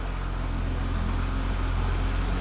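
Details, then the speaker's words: BMW Alpina B10 Biturbo E34 after first service and fuel filter job: smooth even idle, vacuum lines holding, valve train silent, only injector clicking audible. "Oh yeah, it sounds good. So, vacuum lines are holding. Oh, it's quiet. You can't even hear the valve train anymore."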